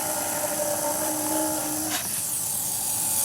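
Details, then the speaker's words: Small Hall-effect pulse motor, run from capacitor charge through the Wireless Joule Thief output after it had slowed and stopped on plain capacitor voltage; high steady singing whine with quick even pulsing, spinning fast and running smoothly. "hear that? See how fast it's spinning? See how bright the pilot LED is?"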